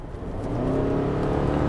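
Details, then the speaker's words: 2022 Subaru Forester, 2.5-litre petrol four-cylinder boxer engine with AWD and CVT, under full throttle. The engine climbs to a held droning pitch that stays nearly flat while load builds, with little acceleration; normal CVT drone. "The CVT is a terrible idea. It's called a continuously variable transmission, or CVT. And when you put your foot down, I don't know whether you can hear this, it sounds like"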